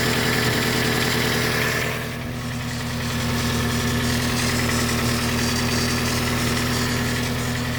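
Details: Toyota Camry 5S-FE, first start after a new oil pump and new rod and main bearings: steady idle with a light, fairly even tapping at a few per second; source unknown, and it runs much quieter later.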